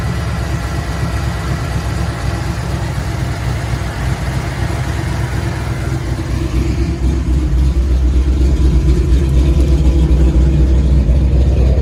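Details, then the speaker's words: 1994 Ford F-150 5.0 V8 with aluminum heads and a Paradigm supercharger at idle: lumpy, shaking rough idle with about two stumbles a second despite replaced TPS, IAC, ICM, computer, ignition parts and injectors; runs better above certain rpm, worse with AC on. "um it seems to just idle rough and I can't figure it out so maybe some help from you guys could help me out"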